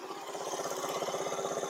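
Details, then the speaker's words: Small single-cylinder buggy engine idles with a steady, even putter and no valve ticking after the loose exhaust valve clearance was readjusted; the engine still cuts out at full throttle, cause unknown. "And now you can hear when you start it up, it doesn't tick anymore."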